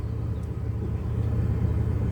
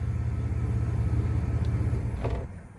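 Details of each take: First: 2001 Chevy Blazer after replacing bad MAF sensor (P0103 code) with a used one, run 10 to 20 minutes: low, steady idle around 500-600 rpm, even beat, no stumbling, reaches operating temperature instead of dying out. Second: 2001 Chevy Blazer starting, running a rough uneven idle for a couple of seconds, RPM dropping, then stalling, every start; P0103 code, MAF sensor tested bad on multimeter and was replaced with a used one, fixing the stalling.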